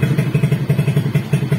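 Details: Suzuki Smash 115 motorcycle: fine at idle but badly misfiring when revved hard, with uneven, lumpy low thumping about twelve beats a second, missing and stumbling as it tries to pick up revs.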